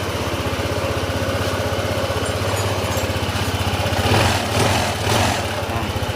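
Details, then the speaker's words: Honda ADV160 scooter after camshaft repair: steady, even putter at idle with no rattle or tapping; the rough garalgar engine noise is gone and it now sounds standard. "Ayun oh. Nawala na yung kakaibang sounds ng makina. Standard sounds na lang to."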